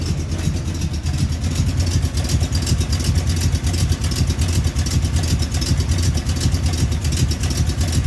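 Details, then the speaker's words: 1971 Chevy C10 with cammed small-block 350 V8 (Summit 1103 cam) and long-tube headers at startup idle: lumpy idle with a light, fast metallic ticking from the exhaust rattling underneath, not a rod knock. "So before anybody says that little tapping noise is the exhaust, it's kind of rattling down there. It's not an engine, not the rod knocking or nothing."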